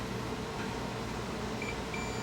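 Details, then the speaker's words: A meter across the thermal cutout of a fan motor whose coil burned out: a couple of short high beeps over a steady hum show continuity, so the thermal cutout is still good. "yep thermal cutouts good you can hear beeping that's good"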